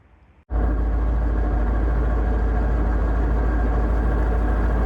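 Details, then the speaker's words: Manual gearbox on the TRKYCHT car, owner-suspected bad input shaft bearing: steady low drone and groan at idle in neutral with clutch out, tested clutch in/out before removal. "Pretty sure that the input shaft bearing is bad or something in that area. Um, pretty sure it's the bearing, but let's do some testing"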